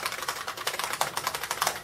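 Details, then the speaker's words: IBM 5155 Portable PC keyboard, essentially a portable Model F buckling-spring board, typed at an even pace. Crisp, metallic clacks, lighter-feeling than a Model M and more metallic-sounding; the keyboard is healthy. "which feels very nice to type on feel similar to a model M except it's a much lighter typing feeling that sounds more metallic it is indeed a buckling spring keyboard"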